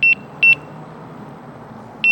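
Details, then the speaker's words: Begode EX-N electric unicycle sounds repeated double high beeps over road and wind hiss at about 78.9 miles of a range test, pack near 78.6 volts; a low-battery warning as the wheel starts tilting back. "so you can hear it's beeping just sitting there beeping and i'm at 78.9 miles but i can actually run it because that's no load right"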